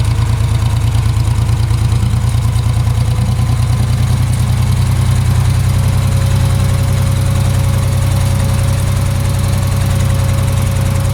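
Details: Ford 3000 three-cylinder tractor after solenoid replacement: low, lumpy idle with an uneven loping beat, running on only two cylinders; a recurring issue that clears after a few minutes of running, cause unknown.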